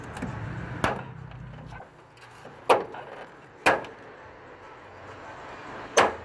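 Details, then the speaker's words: VW Kombi sliding door striker reassembled without its bushing (a cut 8mm wall plug): loud, hard bangs as the door closes, four over six seconds. The metal-on-metal contact is much louder, proving the missing bushing causes the door clunk. "eu vou montar ela sem a bucha para vocês vão ouvir um barulho como é bem bem mais forte fica e olha agora foi sem a bucha olha o barulho como fica"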